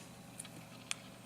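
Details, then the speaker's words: NEC Versa 6030x laptop with IBM hard drive at power-on: two faint sharp clicks half a second apart as the IBM drive spins up; speaker and display also suspect. "you hear the IBM hard drive going off there's another problem"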